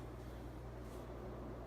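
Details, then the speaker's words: Casablanca Four Seasons 48" K55 ceiling fan, possibly 1981, Slumber Quiet control at full speed: low steady hum with even air rush, no ticking or wobble; normal running. "And this thing, I mean, you can feel it all the way back here. This thing is ridiculous. It's a hell of an air mover."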